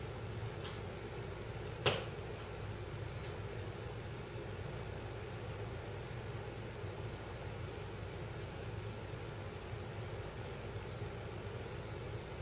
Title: Mom's house makes creaking noise when ducts heat up or cool down, kitchen capture